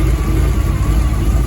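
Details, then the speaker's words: Cammed 350 small-block V8 El Camino after tune: deep, even rumble with a smooth brief rev, no knocks or misses; normal engine revving. "put her on camera for a second man yeah she sound real good after that tune"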